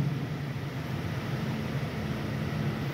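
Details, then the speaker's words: 2015 Toyota Vellfire/Alphard AGH30, stationary with engine running, steering turned left and right after replacing the shattered steering damper: a steady low engine idle hum with the earlier clacking in the steering area now gone. "saat posisi mobil diam mesin hidup setir belok kanan kiri Ini udah enggak ada bunyi keletak-keletak di area setir"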